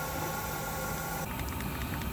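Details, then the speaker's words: Chinese diesel heater run two years on used waste oil, just cleaned out after failing to start: steady, even burner and fan roar with no surging, popping or misfiring; fired up and burning cleanly. "she's fired you've got heat coming out of there you've got steam coming off the exhaust"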